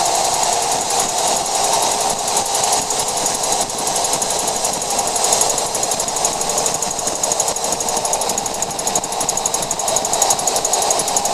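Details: 2014 Jeep Wrangler JK cruising above 50 mph: rapid high-pitched clicking over road noise; persists after replacing both rear axles and checking diff gears, cause unknown.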